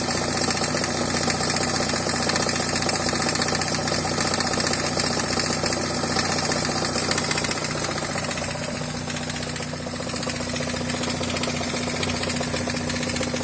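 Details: NA Miata at idle, engine bay: a hard regular knock about three times a second from the front of the engine, resonating through it; the crank pulley was loose from a failing woodruff key after an improper timing belt job, under 100 miles from shearing.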